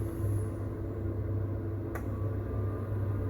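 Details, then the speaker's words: Potterton 28HE combi boiler, central heating fault from a failed 3-way valve motor with broken spring, after repair: ignition, then low steady pump hum with a soft click and no grinding; heating circulates, seemingly without the earlier overheat shutdown. "pump stepped in, watching the thermostat rise."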